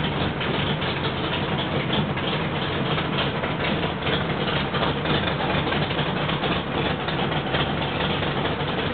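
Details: Rebuilt L88 427 Chevy big-block, hydraulic roller cam, 9.6:1 aluminum heads for 91-octane pump gas, timing set at 36°: deep, steady, lumpy burble holding even with no misses or knocks; healthy idle, sounds like an original L88.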